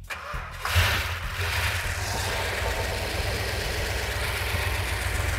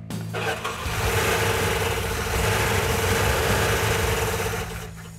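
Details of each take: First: Mopar engine (car still using a ballast resistor) after reassembly, started with clip-on ignition connection: short crank, then catches and settles to a steady, even idle with no misses, quieter as it runs; sounds as good as before. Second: Engine started after finding the missing fuel tank sending/pickup unit had left no fuel reaching the fuel pump: it cranks, catches and runs lumpy and uneven with an irregular beat. It doesn't sound good; cause not stated.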